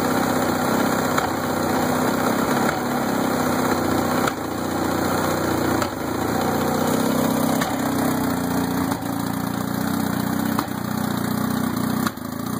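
Steady idle with a sharp pop about every one and a half seconds, each dipping the running note: the outboard is backfiring.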